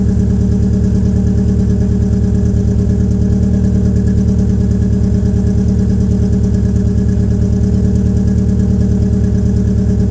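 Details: Peugeot 807 SR 2.0 2004, EW10J4 RFN engine, cold start, rear silencer removed: low lumpy uneven idle around two beats a second; rough cold idle from tight valve lifters, typical of PSA EW engines.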